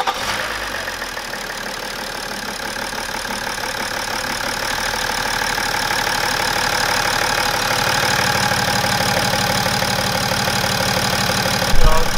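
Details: Cold start of a BMW E61 530xd with the M57 diesel at roughly 400k km, filmed before teardown to inspect the timing chains. It fires and settles into an even idle with ordinary injector clatter and no chain rattle; sounds healthy.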